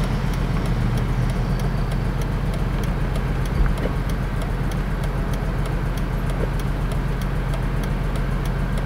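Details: BMW E46 M3 inline-six: deep lumpy idle with uneven thumps, misfiring on all 6 cylinders because pre-cat O2 sensors were swapped into the wrong banks.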